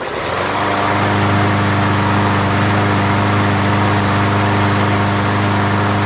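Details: MTD 500E 21-inch push mower with Briggs engine, found discarded roadside after sitting outdoors long; carburetor apparently clean, started right up after priming. Catches and settles into an even, steady buzz with no misses, surging or knocks: normal healthy running.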